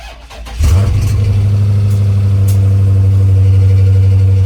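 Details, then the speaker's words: Salvage Dodge Challenger Scat Pack V8 with unknown engine condition, first start after key programming: catches and settles into a strong, even low rumble. The ticking heard earlier is now absent; normal cold start and idle. "That's not bad now. I didn't hear it before."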